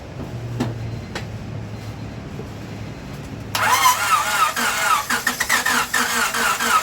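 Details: 1998 Honda Civic with a replacement engine swapped in after a rod bearing failure, long unused, distributor just reconnected, starter fluid added, second battery attached: a quiet hum, then a laboured crank of about four turns a second with a high chirping squeak, never fires. Owner suspects rings are stuck from sitting.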